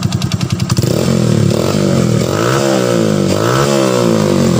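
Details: Honda Supra X 125 FI after replacing clogged injector that caused stumbling and weak throttle: quick catch on starter, then even steady run with clean throttle blips rising and settling; healthy.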